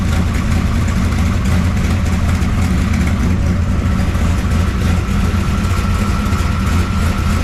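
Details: 1969 pro street Camaro V8 with freshly rebuilt Holley carburetor, after ignition timing check: loud, deep burble with lumpy cam-style beat holding steady; idling fine.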